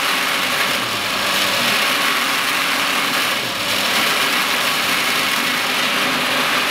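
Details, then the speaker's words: Brewery wort pump while chilling the boiled beer: steady hissy rattle with gravelly crackle over a faint motor hum; cavitation from steam bubbles in the pump, which subsides once the wort cools to about 90 degrees. "that noise from the pump subsides once we get to around 90 degrees it's only cavitation upping basically steam creating bubbles within the pump"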